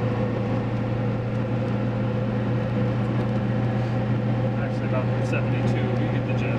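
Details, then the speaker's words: 1990s Ford F350 7.3 Powerstroke diesel on Mickey Thompson Deegan 38 315/75/16 mud tires at about 72 mph on the highway with the window down, in-cab. A steady deep humming drone with no thumping is normal tire road hum. "we're at highway speed throw the window down you can hear him huming pretty good with the window [Music] down"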